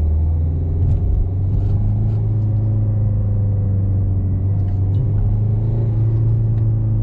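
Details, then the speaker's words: Peugeot 307 1.6 HDI road test after replacing the dead lower engine mount and refilling 75W80 gearbox oil. The supposed gearbox/bearing noise, which went away with the clutch pressed, is gone: steady, smooth driveline hum. "Plus de bruit."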